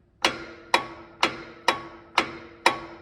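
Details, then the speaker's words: Engine with flywheel/flex plate unbolted from the torque converter, engine off: six sharp ringing metallic clanks about two per second behind a cold-start noise. Cause is a loose flywheel; its ARP crank bolts were too long and never clamped it. "right so there's the problem I have a loose flywheel and the flywheel was torqued with ARP bolts to the back of the crankshaft when I put the motor together"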